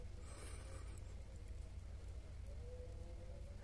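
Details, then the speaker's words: Sharp 9.5 kg twin-tub washing machine after replacing the spin motor and gearbox: a low, steady hum with a faint even tone and no knocks or scraping; the spin now runs normally. "kalau di tayangan ini seperti pelan ya mungkin efek dari kamera ini ya tapi ini sih sudah normal"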